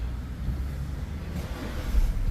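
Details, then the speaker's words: Mazda CX-5 2.2 dual-turbo SH diesel, restarted after 3 hours parked in heat following fuel filter assembly replacement for hard starting (pressure was bleeding back from high-pressure pump hose); catches and settles into steady low rumble, no longer stalls. "so Ayan mga katropa Okay na Yung kanyang engine hindi na namatay mga katropa"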